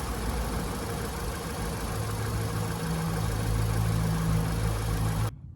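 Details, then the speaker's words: 2005 VW Golf Mk5 1.6 FSI after replacing the spark plugs and a coil pack for misfire code P0302: even, steady idle with no stumbles, then a clean shut-off; the rough idle is gone and it idles normally. "but that rough idle is definitely gone let's go and see it from outside oh guys so check this out because it's running really smooth now you see perfect"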